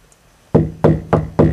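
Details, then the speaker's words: 1981 Mercedes-Benz 240D floor pan after rust repair where there was a hole: four firm hammer blows, each a dull solid thud with no tinny rattle; floor now solid. "even sounds nice and solid now it doesn't sound like I'm pounding a rusty metal it sounds like it's absolutely solid"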